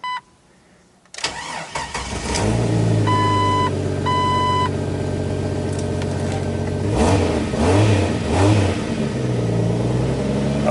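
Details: Jeep Wrangler TJ started after alternator replacement; quiet, a couple of chime beeps, quick catch and steady even idle rumble with a light rev, charging about 14 volts, healthy start.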